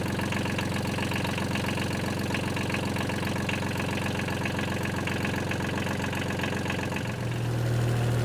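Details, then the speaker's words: Small wheel loader diesel idling after a glow-plug start, throttle tied back: steady, even clattering beat at about four per second, purring smoothly like a little tractor; healthy. "It sounds like one of them little tractors. I'm gonna let this thing run a while. Figure it needs rain anyways, but figure I'll bring y'all along, make sure this all worked. Thing just purrs like a little kid."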